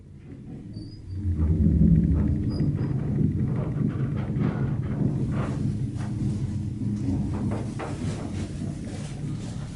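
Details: Express Lift Co hotel baggage lift installed around the early 1990s, running: a deep rumble with uneven thumping about four times a second as the car travels. Bad bearings.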